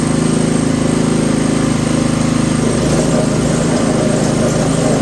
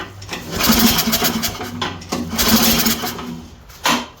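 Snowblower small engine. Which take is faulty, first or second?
second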